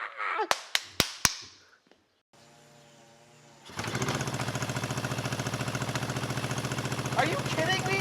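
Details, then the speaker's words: 1974 Honda CB350F four-cylinder, first run after sitting 20+ years: clicks, then uneven loping idle on three cylinders; number three carburetor not getting fuel, as starting fluid ignites instantly. "on three cylinders seems like number three carburetor is not getting fuel when we spray fluid in there it ignites instantly so it's definitely a carb issue there"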